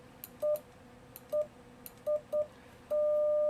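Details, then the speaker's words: Yaesu FTdx10 with iambic paddle and internal keyer off (set for straight key): few short beeps then unbroken steady tone, only left paddle working; keyer off, paddle sends straight tone. "only the left one's working and it's just sending a straight tone essentially right now i'm set up for a straight key if that was a straight key so you have to turn the key around"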